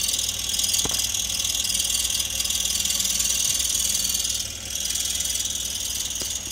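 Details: 2003 Toyota Yaris engine running, with a constant high-pitched chirp-like squeal and a couple of sharp ticks from the engine bay; cause undetermined.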